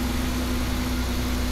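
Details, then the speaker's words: Customer's car that was stalling and not starting, after the fix of a brand-new fuel pump, with current ripples checked by low-amp probe: steady, even idle with a constant low hum and no stumble. Normal idle. "there you go this is gonna be our fix right here a brand new fuel pump and as you can see everything is running good"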